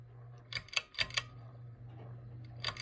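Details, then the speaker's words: Heritage Riviera ceiling fan on low: a low motor hum broken by short bursts of sharp clicks at irregular intervals; everything seems tight, and the owner suspects something loose inside. "so let's start this one on low makes a little bit of noise not sure why everything's tight but might be something loose inside"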